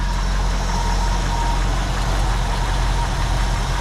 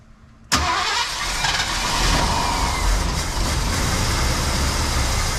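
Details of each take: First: 1974 Ford Bronco after replacing both fuel tank senders, just started: deep, even low rumble with no misses, knocks or ticks; idles smooth and healthy. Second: 1974 Ford Bronco, fuel tank out for rust repair and both sending units replaced, lines empty: steady starter whirr, engine turns over evenly but never catches; no fuel reaching the carburetor yet.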